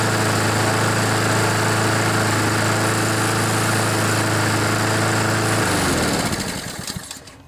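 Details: Honda GCV engine on a Poulan mower that wouldn't start, smoked and had an oil-covered air filter; still not fully warmed, oil burning off. Smooth, regular single-cylinder beat holding steady, then winding down cleanly at shutdown; engine sounds healthy.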